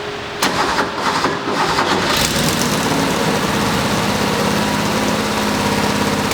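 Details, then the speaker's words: 1977 Porsche 911S Targa barn find, not run in about 7 years, started after a timing correction: a few cranking beats, then it catches and settles into a steady flat-six idle with a faint hum, warming up but not yet at operating temperature. "Okay, so we got the car running. It started warming up."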